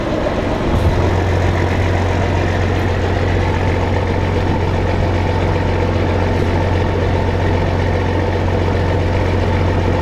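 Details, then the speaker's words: Old diesel in farm combine, hot day, warming up: deep even idle, steady low drone, no knocks or misses; normal diesel idle. "all i need is electric pump all them years man that thing sounds awesome i'll let it worm up a little bit and open it up charge the battery"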